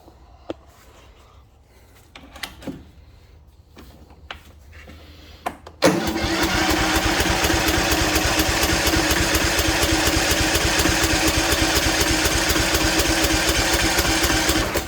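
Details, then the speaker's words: Craftsman mower with Kohler Courage, gravity-fed, fresh splash of gas: scattered clicks then steady fast cranking that never picks up. Fuel shut-off solenoid plugged in but its wire mouse-chewed; carb float needle stuck, fuel-starved. "No such luck. There's a fuel shut-off solenoid, but it's plugged in."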